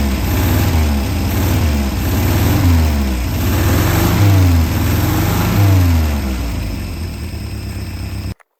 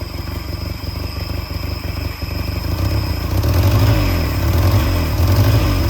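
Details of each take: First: Peugeot 403 pickup, running after restart: engine keeps running, revs swinging up and down over a steady low beat; sounds alive and healthy. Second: Peugeot 403 pickup engine, first start after over 20 years abandoned, freed throttle butterfly: low, lumpy idle of about four pulses a second with some clatter; one cylinder suspected not firing well, unconfirmed.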